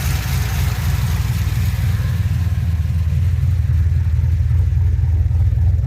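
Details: 2007 Pontiac Grand Prix GXP V8, first start-up after sloppy stage 3 cam install with VATS and DOD delete via HP Tuners; deep loping idle with steady uneven chop about four times a second, "cam sounds so good". Normal cam idle.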